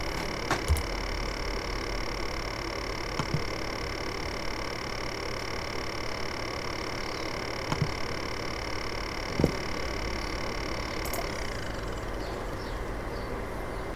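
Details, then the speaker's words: Apple A1398 MacBook Pro recorded at the fan grille: a loud, steady whirring rattle with a thin high whine that sinks and fades as the fan spins down at shutdown; fan rattle. "it's pretty obvious it's quite a loud sort of rattling consistent noise um yeah to me it sounds like the fan has got something jammed in it"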